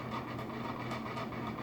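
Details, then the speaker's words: Vintage Southern Fan Co Tara ceiling fan on high speed: steady hum with light uneven clacking rattle, suspected blade irons rattling. "Medium high. And high. Is that the blade irons rattling?"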